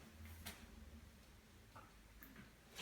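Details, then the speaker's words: Repeated sharp clicks about every half to one second from the middle power supply board of an LG 50PK350 plasma TV stuck in standby. The board tries and fails to start; the fix is replacing two resistors plus a small one from a repair kit. "donc là on entend bien le claquement provient d'ici de la carte qui est au milieu"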